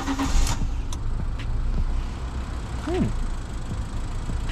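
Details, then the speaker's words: Engine-swapped Fiat 500 with newly installed tight-fitting aftermarket air filter, on base map running very rich and smoking: deep, even rumble and clean intake note with no rattles, whistles or misses; intake sounds good. "air sounds like the the intake sounds quite nice"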